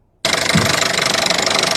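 Running engine with a fast, even metallic ticking throughout; typical of a direct-injection high-pressure fuel pump ticking away.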